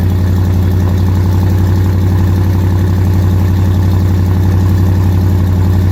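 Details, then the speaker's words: Dodge Challenger R/T 5.7 V8 first start after BBK long-tube header install: deep idle with a sharp, even puffing tick about four times a second on the exhaust beat; exhaust leak at the header clamps, which need fixing or replacing. "oh yeah exhaust leak alright gotta fix those clamps I can hear it till tomorrow clamps got to be fixed first just straight exhaust leak but sounds like a beast coming out of that uh those headers though"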